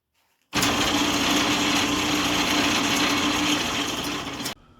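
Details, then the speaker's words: 1939 Montgomery Ward wood lathe running with a new small 3-inch 3-jaw chuck replacing the 8.5 lb 6-inch chuck: steady even hum, light whirr, no knock or wobble, then spin-down; much less vibration than with the big chuck. "I'm not sure the video really does it justice, but trust me, the lathe has much less overall vibration when it's running the smaller chuck compared to that big 6-inch old chuck."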